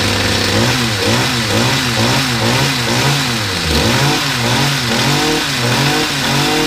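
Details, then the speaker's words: Stihl HS45 two-stroke hedge trimmer, hard to start and due a service, primed and choked then started: runs healthy with steady buzz and crisp rev blips, no misfire. Hard starting likely from spark plug found half hanging out. "yeah that's fine no problems with that I think his his starting in two because the spark plug was half hanging out"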